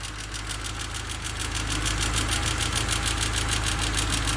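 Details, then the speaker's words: D16Y8 engine swapped into an EF Civic idling after the valve lash was adjusted to spec; a sharp, steady top-end tick over the idle, barely changed. The clatter seems to come from the crank area, not the injectors; owner fears a spun bearing. "That was the sound of the engine after I've adjusted the valves. So they're all adjusted to spec now. Not really sure if it sounds that much different."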